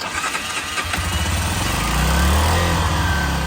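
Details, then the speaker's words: Honda CG 125 barn find, sat 15 years, first start after carburetor cleaning: single cylinder catches and sputters on choke, needs a little throttle and won't hold idle by itself; runs better with choke off. "Does need a little bit of um throttle. Well, there's the engine running. Sounds good. It's got the uh choke on."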